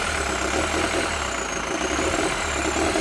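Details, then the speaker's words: VW T4 diesel van, sat for four years, running after a fuel system overhaul. Pump seems stuck, with no response to the accelerator, and a little smoky. Uneven, lumpy low idle with clattery top end; rough idle, cause unconfirmed. "okay as you can hear the vans running um but the pump seems to be stuck because when you press accelerate you've got nothing a little bit smoky"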